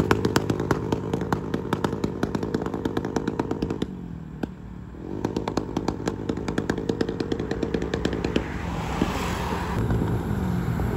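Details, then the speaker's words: Automatic scooter with aRacer ECU backfire tune: rapid sharp pops and crackles, about three per second, from the exhaust as revs drop; deliberate tuned rolling backfire. "Ay hindi pala makikita pero maririnig niyo solid nung putok eh. Lakas eh."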